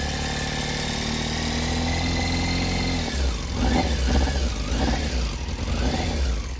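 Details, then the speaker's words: Cold, original matching-numbers Yamaha Fazer 600 inline-four idling, then revving up and down: light fast tick over the engine, a top-end noise the owner suspects is a minor timing (distribution) issue, unconfirmed; blue smoke when hot is the bigger worry. "Le cliquetis, bon, si c'est qu'un petit problème de distrib, c'est pas dérangeant."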